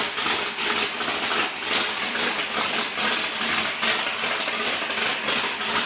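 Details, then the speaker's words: Larry Bullock's legendary Camaro drag car, first started after 8 years off the track following water pump and fuel pump repairs, no leaks, checking oil pressure: loud, lumpy V8 with even choppy exhaust beat, no knocks or squeals; sounds good, normal running. "AFTER 8 YEARS, THE BEAST IS AWAKENED. RIGHT, LARRY? >> You got her going. >> Uh, it sounds good."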